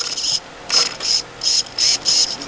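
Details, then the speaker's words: SC-10 RC car bought for $30, ESC showing green light: six quick high-pitched buzzing sweeps with clean stops as the steering servo is tested; servo works normally. "now the test first steering that should work yep oh that server works"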